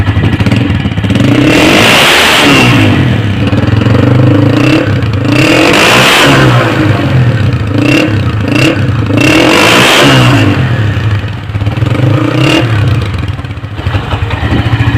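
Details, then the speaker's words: 2007 Honda CG 125 after full restoration: three clean throttle blips rising and falling smoothly through the exhaust, no rattles or blowing; normal exhaust sound. "से दोस्तों बहुत प्यारा sound है, कोई भी आवाज़ नहीं है किसी"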